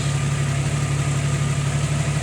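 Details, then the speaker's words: Jeep Wrangler that had shut off, after tightening the battery-to-fuse-box main wire connector: smooth, even idle with a steady low hum, no stumbles or dropouts; running fine. "Because that thing just shut off on me. Now it's running fine."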